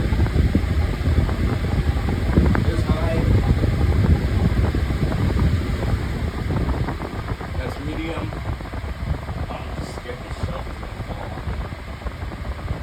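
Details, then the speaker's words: Pedestal fan on low speed while oscillating: steady, even whoosh of air sweeping side to side, quiet, with no rattle, tick or scrape; smooth oscillation, running normally. "And actually low is actually very quiet still and we'll go ahead oscillation. Oscillation is very smooth. No problem with it."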